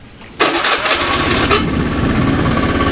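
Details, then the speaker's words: Honda Beat FI fuel-injected scooter that previously stalled and hesitated, after ECU replacement and a week of testing: quick crank catches at once and settles into a smooth, even idle; starts and runs normally. "normal kan sekarang udah bisa lamsam kalau tadinya mati-mati Terus sekarang mah udah bisa lamsam"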